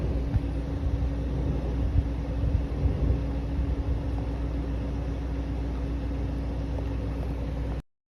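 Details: 2017 BMW 330e (F30) plug-in hybrid, 66,000 km engine, cold start, especially in winter: a soft, steady low roar like a wave of vibration with a faint droning hum. It goes away when the oil is heated or after driving a bit. Cause unclear.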